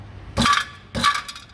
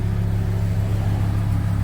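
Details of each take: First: VW T4 Transporter campervan exhaust with a wrong-size aftermarket catalytic converter whose core has collapsed: bright metallic clinking bursts as loose pieces rattle into the muffler while the exhaust is thumped. It needs a new cat. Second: VW Transporter T4 campervan after exhaust repair, damage from backfire caused by a faulty new rotor button; tailpipe remounted to rear bumper, new gasket: soft even low rumble at idle heard from underneath and out the back, no puffing or rasp; normal quiet exhaust.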